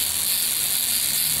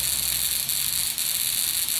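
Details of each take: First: Buzz coil on the bench, 10 A meter in series: fast, harsh, even buzz with a hissy, sizzling edge; upper point has too much tension, so the points draw excessive current. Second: Buzz coil after point adjustment, about 1.2 amps on the meter: even, continuous high buzz with crackling sparks and no stutter; hits the spark tester every time. Capacitor suspected weak, possibly moisture, though the coil functions well.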